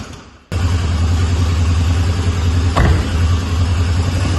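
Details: 1998 Citroën Saxo that wouldn't start, after a battery change: catches instantly and settles into a firm, even low rumble with no smoke, misfire or rattle; engine sounds sweet.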